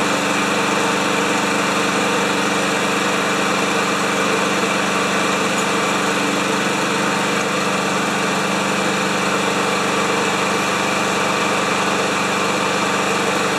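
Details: Lawn Boy mower with 160 cc single-cylinder engine and automatic choke, running after a shot of carb cleaner into the carburetor, oil full, refueled: steady, even buzz with no misses or surging; carburetion and ignition sound healthy, normal running.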